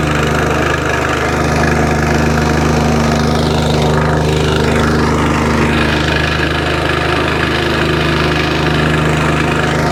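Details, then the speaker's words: Curb-found wacker plate, small single-cylinder engine, long unused, run after choke with the original plug: it ticks over steadily and evenly with no misses or knocking, and vibration stops below a certain rev — healthy idle, though it may want carburetor work. "there you go ticks over lovely when you get to blow a certain rev that it stops vibrating that sounds really good"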